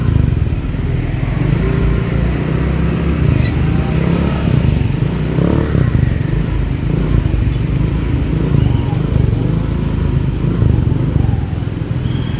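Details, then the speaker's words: Motorcycle exhaust after muffler repair (glasswool packing thought to have worn out, causing rattling and a hoarse, buzzy tone): deep, steady burble outdoors, no metallic rattle or rasp; the jingling is gone, the sound is restored, and the filter and header were checked as fine. "Masih ada suaranya Mas udah hilang ya suaranya juga udah balik lagi kan jadi ini udah balik lagi suaranya juga udah tadi kan ada suara kerincing kerincing suara saringan dan cabangnya juga udah ngecek udah Aman semua"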